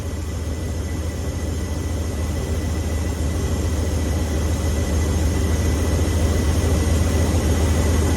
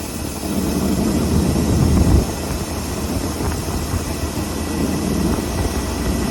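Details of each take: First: V8 truck with a two-barrel Holley 4412S carburetor during tune-up: deep steady idle with a soft uneven bobble three or four times a second as the idle air/mixture screw is turned in; backing it off stops the bobble. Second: Ford F600 truck, carbureted V8 after Holley 4412S two-barrel tuneup, air screws adjusted and idle turned way down: low steady even rumble with no stumble or hunting; running smooth.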